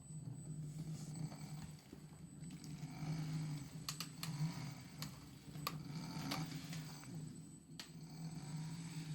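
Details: Brand-new Msuper X hub motor at idle: a rough, uneven low hum broken by scattered sharp clicks and scrapes, a grinding noise.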